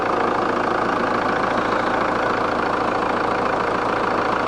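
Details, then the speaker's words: VW Golf GT TDI diesel, off the road since January 2020 after a burst radiator, first start after sitting: steady, even idle clatter with no misfire or stumble; normal idle. "you can hear out there running there just now doesn't seem to be running too bad"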